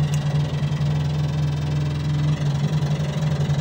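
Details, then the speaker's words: $100 barn-find Massey Ferguson 300 tractor: with the key on, a steady low buzz with fast faint ticking as the electric fuel pump runs dry, not hooked to anything; fuel lines still need redoing. "You can hear that fuel pump. It's not hooked to anything."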